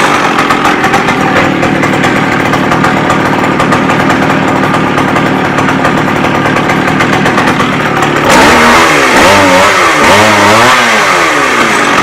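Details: McCulloch 610 chainsaw after a carb cleaning and turning the high-speed screw out another quarter turn: steady two-stroke buzz, revving up and down cleanly with quick, even pickup and no bogging; runs well.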